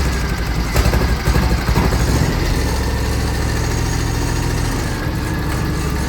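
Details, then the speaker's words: 2006 John Deere X720 V-twin, 722 hours, misfiring on the right cylinder after about an hour of hard mowing and clearing once cool. Uneven, stumbling idle with dropped pulses; persists after plug, coil and injector swaps. Cause unknown. "uh it would start missing on the right side cylinder here and what I would do is I could pull the plug wire off that side and it would drop out or nothing would happen"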